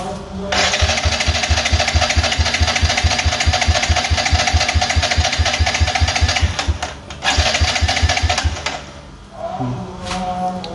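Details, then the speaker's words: Yamaha Jupiter Z1 injection cranked on the starter during a wet compression test with oil added to the cylinder: quick, light, even pulses with little resistance; compression rose only to about 6, so the leak is at the valves, not the piston rings. "dia naik tapi cuma ya berapa barislah naiknya berarti memang ini dikleap guys"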